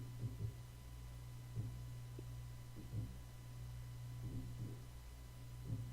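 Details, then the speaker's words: Faint dull thumps roughly every second over quiet room hum, recorded during a noise-reduction test with an Audio-Technica AT2020 microphone: the repeated knock of a dying hard drive. "So did you hear that thumping? That's the hard drive. And this thing's still dying."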